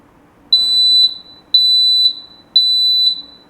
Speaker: If the sound is loud and clear, you're good to go.